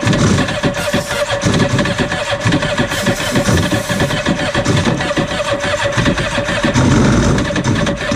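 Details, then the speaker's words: Cheap used Yamaha WaveRunner two-stroke on new mixed gas, old fuel previously in tank: cranks, catches and runs ragged, surging and stumbling; starving for fuel with the fuel valve set to off, then switched on. "oh the gas is on off let's put the gas on on how about how's that sound see right here it was on off we're going to put it on on we're going to see if that helps"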